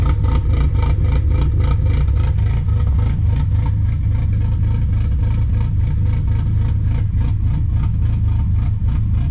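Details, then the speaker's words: Car idling after ECU reset (codes cleared, battery unplugged, fuel trims relearning) with a 276 cam and new MRP 3-inch aluminum MAF housing: heavy, uneven, lumpy idle about four pulses a second that stumbles instead of settling; rough running from turbulent airflow in the MAF housing. "it sounds like the cam because that's what a 276 cam is supposed to sound like but i don't know it doesn't sound happy"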